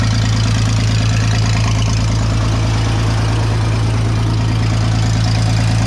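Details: Vintage Scoopmobile LD5P articulating loader (thought late 1940s–early 1950s), revived after at least 15 years sitting; deep, steady idle with an even beat of about three per second, no misses; runs surprisingly well, antifreeze leaking, hoses rotted.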